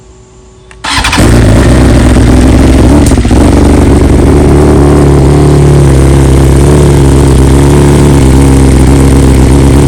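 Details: 2020 BMW S1000RR (K67), real cold start after dealer replaced two ignition coils under warranty and updated software: short crank, instant catch, steady deep fast idle, no misfire; normal cold start.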